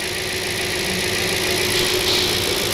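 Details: 2002 Audi S6 C5 4.2 V8 ANK after replacing right-head cam adjuster/tensioner, about 5 bar oil pressure, needle steady: smooth, even V8 idle, quieter than before with no tapping; normal idle.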